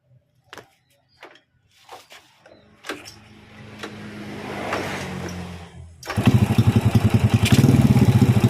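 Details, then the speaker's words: Honda Supra Fit (C70 body) motorcycle after swapping PE28 for PE24 carburetor and setting pilot: a few short cranks, catches cleanly about six seconds, settles to a steady quick beat; easy start without choke. "it's very easy without the help of a choke and now we try to drive it, Bro."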